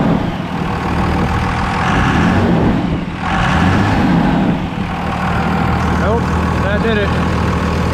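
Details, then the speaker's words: 24-valve diesel truck idling steadily after a belt tensioner replacement; the belt had squeaked badly at mid rpm, now an even low rumble with no chirp or squeal. Owner suspects the belt may still be worn, but it runs normally. "squeaking really bad in the mid rpm range or when i hit the thing oh yeah she's good now"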